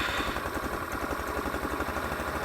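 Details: Taotao 150cc ATV, newly assembled, start after learning to push in the kill switch and hold the brake: steady, even low single-cylinder thump at idle, no knocks or misses; normal idle.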